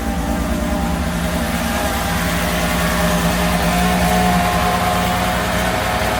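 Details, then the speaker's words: Mercedes SL320 that had not run for 3 years, started freezing cold with the airflow sensor plug back on: an uneven, stumbling idle that is not firing on all cylinders. Misfire of unconfirmed cause. "does not run on all cylinders that's for sure actually she runs pretty bad okay but it does start it does it does start it does run it does not run on all cylinders which is a huge problem"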